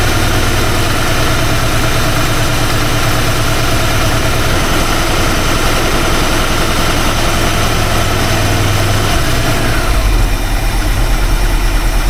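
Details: Classic small-block Ford engine just started after new distributor install, timing not yet set; loud idle with an uneven, loping beat and shifting tone, no clear single knock; idling rough, cause not pinned down.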